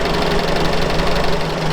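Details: UAZ 469 four-cylinder just after the choke was taken off, ignition timing unknown and not yet set; slightly lumpy, uneven idle but firing on all four. Owner suspects the timing needs setting; cause not confirmed.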